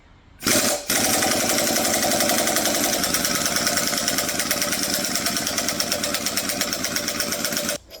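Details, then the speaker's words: Impact gun on a 1981 AMC 258 4.2 engine during teardown (timing cover, harmonic balancer): rapid hammering rattle, about three to four blows a second, softening and slowing as air pressure dies; weak impact wrench from a low compressor. "all right that's uh that's what dying air gun sounds like I need to run to my compressor"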